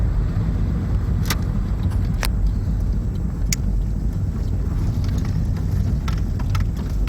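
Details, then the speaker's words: VW Golf VR6 test-driven after a drivetrain failure: it had lost drive with clunking on a 4th-to-5th shift, and loose fasteners on one side were tightened. Low, steady road rumble with a few light clicks and no clunking; noise gone, fixed. "But yeah, but well, it works, no extra noises, source seems to work pretty well. So we'll call that a fix."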